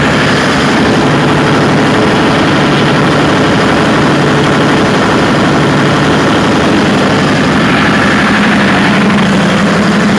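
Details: Perkins 4012 diesel after general overhaul, fitted with a pre-lubrication pump, before load testing: steady, even run with smooth low drone, no knocks or misses; healthy engine settling after start-up.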